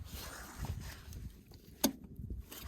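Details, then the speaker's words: DX63 excavator that cut out and won't start: a single sharp metallic clunk as the fuel injection pump linkage sticks and releases under the actuator. "um and it's occasionally they're sticking you hear that clunk there"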